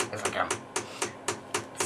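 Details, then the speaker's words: Bell & Howell RM850 projector during restoration, running: sharp, steady banging knock about four times a second over a light hum, traced to the autofocus mechanism. "okay it appears that the uh noise is coming from the autofocus"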